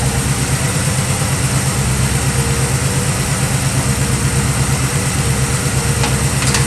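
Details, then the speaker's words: 1965 Chevy Nova wagon V8 after fitting a Holley 600 cfm four-barrel and Edelbrock aluminum intake with floats set, idled down: deep, even burble at about three pulses a second, no stumble or hunting; throttle response now far better, belt seems slightly loose. "I had throttle response. I'm super excited. That's way better than it was before."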